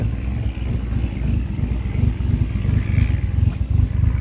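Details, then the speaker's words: Restored Ford Escort Mk2 after shed fire damage; idle lopes unevenly, running very rich, sounds like it has a cam, needs a tune; lumpy idle, cause not confirmed. "It's running very rich. It's got a bit of a lumpy idle. Sounds like it's got a cam, if it"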